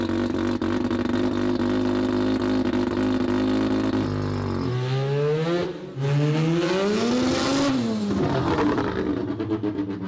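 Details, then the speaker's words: Semi-peripheral-port two-rotor rotary Corvette, accelerating after quick adjustments and running a little rich. Steady drone, then a clean pitch rise and fall with throttle, no stumble or popping. Normal acceleration. "So much better. She is just sounding incredible. She's actually running a little rich,"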